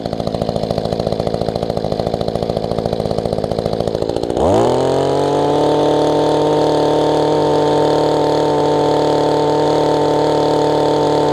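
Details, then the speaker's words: Mantis tiller after carburetor adjustment, restarted: quick, even popping idle about three beats a second, then revs cleanly to a steady high drone and holds; normal running, now idles where it didn't before. "See if it'll start back up for us. Is working okay. So it's not trying to come up."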